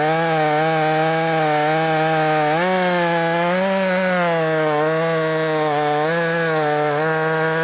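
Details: Brand new, unbroken-in Wemars 6220 clone chainsaw, tuned leaner from rich factory setting: loud steady high-pitched scream at high revs, dipping slightly in wood and recovering cleanly; normal running under load.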